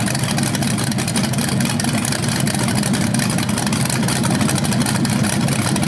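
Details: First run of a BluePrint 396 big-block crate engine on a stand outdoors for a 1970 Camaro SS, with headers, oil primed and timing checked: deep, steady V8 rumble with an even firing beat, no knocks or misses; sounded good, no leaks.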